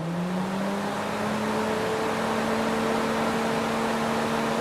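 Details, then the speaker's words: Fiat Tipo radiator cooling fan after cleaning, lubrication and brush service, previously noisy and stiff: it spins up faster to a steady hum with strong airflow and no rattle or scraping; now quiet and healthy. "olha que show que ficou e ela não faz barulho nenhuma é só o vento mesmo e bastante vento mesmo"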